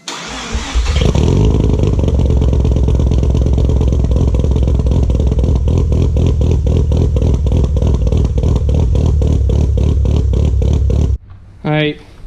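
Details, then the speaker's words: RX7 FD rotary after replacing the bad trailing plugs: cranks briefly, catches, then a steady, lumpy burble with even pulses; still some blue smoke, thought to be leftover transmission fluid or oil, maybe bad fuel. "god it was just the plugs I can get to clear out still pulsing some blue smoke"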